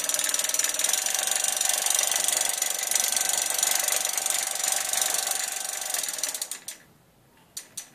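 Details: Bafang BBS01 mid-drive motor running: sharp, fairly regular click about four times a second over the motor's hiss, then cuts out; clicking noise, cause not identified.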